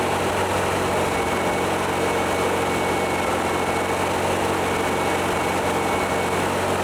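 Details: VW-based Porsche 356 Speedster kit air-cooled engine, warm test after remote oil filter over-pressurization repair. Oil pressure holding about 50 psi then down to 40–45, no leaks, oil cooler warm. Smooth, even idle with no misses, knocks or ticks; healthy.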